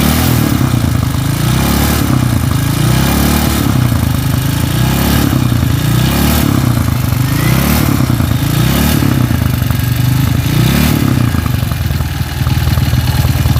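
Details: Honda CB motorcycle with a stroked-up engine, before teardown: rough, clattery running that surges with each throttle blip and shakes unevenly. The bike vibrates badly, with camshaft (noken as) clatter in the cylinder head from a badly loose, worn camshaft.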